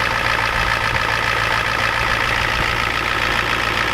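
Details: Ford F250 7.3 IDI diesel just cold-started at 12°F with glow plugs and ether: steady even clatter at cold idle, about three and a half beats a second, no misses; normal cold-start idle.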